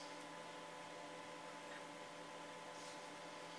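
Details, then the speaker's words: 1980s vintage hard drive in a slow DOS system, after reformatting to map out bad sectors for seek errors, loading Duke Nukem: steady faint whir with soft ticks, no seek clatter or grinding; normal drive access. "now there's no dodgy sounds this time loading J Nukem please wait can't hear any dodgy sounds that's a good sign"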